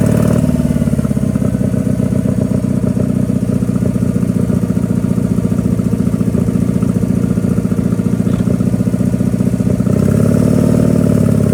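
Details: Power King 2417 economy lawn tractor after carburetor cleaning, new starter and fuel filter: V-twin chugs with an even, steady beat, holding speed under load while hauling; normal running.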